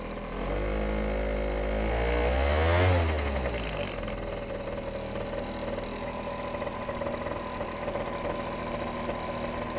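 Scooter idles with a light, quick tick around four per second from the belt side, fading once it's revved up; source not yet pinned down. Cause suspected, not confirmed.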